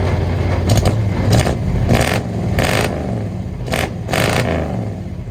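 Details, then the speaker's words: Long-parked engine first run: rough low rumble with heavy clattering bursts on each throttle blip, lots of bottom-end noise; suspected several broken or spun rod bearings, oil suspected milky. "it has a lot of bottom end noise for sure uh i don't know oh man that sounds like there is definitely some broken or spun rod bearings not just one but a couple"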